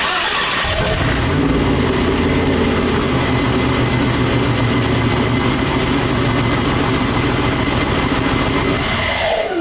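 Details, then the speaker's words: Twin-turbo Chevy Nova V8 at its first start after two months of problems: a fast, lumpy high idle with uneven thumps about three per second. Owner suspects TPS or fuel; timing was at 40 degrees, too much, and a low fuel pressure warning showed. "It's still thumping though. TPS or fuel or something. It was on 40 degrees of timing. A little much."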